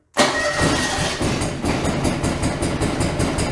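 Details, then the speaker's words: John Deere 445 twin-cylinder engine during coil test after coil replacement, one plug lead pulled so it runs on the left cylinder only: uneven, stumbling, irregular beat, noticeably weak; running on one cylinder. "yeah you can tell that's that's weak"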